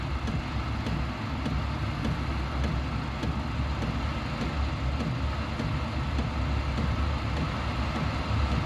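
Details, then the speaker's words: Diesel heater in a homemade fox box at startup, fuel pump starting and heat beginning to rise: soft steady fan roar with even fuel-pump tick about every half second; heater lit and running normally. "the next stage will hear you'll probably hear the fuel pump working next there's a fuel pump starting go now as you can see she's starting the heat designated now"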